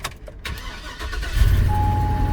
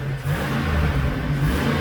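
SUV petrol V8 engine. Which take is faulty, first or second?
first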